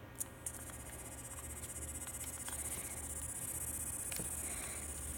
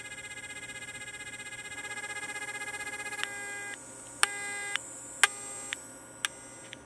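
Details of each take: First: Telephone line test set, 49 years old, plugged into an analogue line with the listen button pressed: faint, steady dial tone barely above the hiss. The volume control pot spins endlessly and is suspected of causing the low volume. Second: 49-year-old F-set telephone test set after a low-volume repair with its battery near 9 V, connected to a phone line: a steady, even tone with a few clicks and short beeps over it. Normal dial tone.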